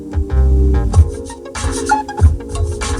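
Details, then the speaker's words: 2004 Toyota Avalon rear subwoofer after replacing the rattling stock JBL speaker: heavy, clean bass thumps with bass turned all the way up, no buzzing or rattling. "what the bass turned up all the way sounds good no more rattles and you're done I think it sounds great way better of course than the crazy rattle and vibration that what's going on before"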